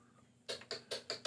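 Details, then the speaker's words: 1976 Kawasaki KZ900 starter circuit after a corroded, oxidized ring-terminal screw connection was loosened and retightened, bringing the solenoid feed to 12.14 V: sharp metallic clicks, about five a second. Voltage drop fixed; normal solenoid click. "and you hear that now we've got power down to the solenoid so what we had was essentially a voltage drop from high resistance because of the corrosion up in this thing"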